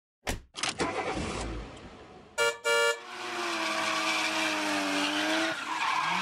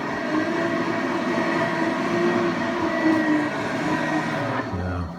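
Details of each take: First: Forge blower fan gives sharp, high screeching chirps, then a whirring that slowly drops in pitch; the unit was likely dropped and a bent flange rubbed, fixed by peening it down. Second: Forge blower after repair: it screeched because a bent housing lip rubbed the blades around the 9-to-10 o'clock area. The lip was peened with a brass hammer for about 1/8 inch clearance; it now spins with a steady even whir and no scraping, quiet.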